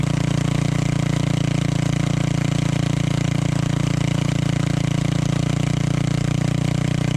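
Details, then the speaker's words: Tillotson 212-powered Rascal Lite mini bike, GoPowerSports mechanical fuel injection carburetor, performance cam, wideband O2 on test pipe: steady single-cylinder putter about three beats a second, lazy and soft-edged; running richer than last time, being richened further. "Running a little bit more rich than it was last time, so maybe I'll richen it up just a little bit more."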